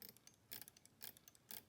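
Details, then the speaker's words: Standard Electric Time GRC clock movement during its 29-second hourly correction, with the correction motor engaged and the drive motor disengaged; crisp ratcheting clicks about twice a second from the floating ratchet mechanism, which is normal. "hear that ratcheting that ratcheting sound that i mentioned okay"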